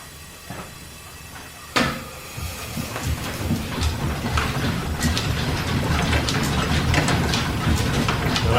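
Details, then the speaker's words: Steam engine powering a 1925-style line-shaft machine shop, starting up: sharp snap of the slide valve against the ports with a slight throttle turn, then quick regular chuffing and valve clicks as it takes right off. "just the slightest little bit of turn to the throttle you will hear the slide valve kind of snap up against the ports and it takes right off"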